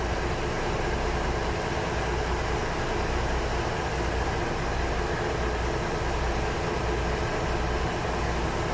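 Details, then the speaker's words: MV Steve Irwin ship's main diesel in the engine room, brought back after years laid up, gives a steady heavy low drone with an even rumble and no knocks as rpm is raised from the control room via governor control air. "have a listen if see if you can hear the RPM increasing you can also see it on the gauges there"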